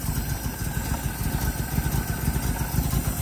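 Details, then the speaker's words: 1976 HX Holden Ute after checking ignition timing: smooth, even low putter at settled idle, no misses or stumbles; runs like a top, normal idle. "that runs like a top. Kept running. It did. Beautiful."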